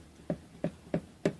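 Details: Yamaha P70 digital piano, about seven years old, action flipped upside down: four hollow woody knocks about three a second as a key is pressed, hammer striking compressed, flattened felt pads; key action knocking.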